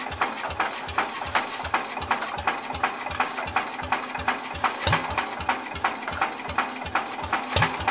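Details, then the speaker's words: Old Cub (1953 or 1963) engine, long sat, dust inside, carburetor stuck: starter chugging near three beats a second with occasional stronger puffs, never runs; owner plans to remove intake and spray directly. "it's trying I think what I need to do I need to take the um intake off this thing so I can spray direct into it"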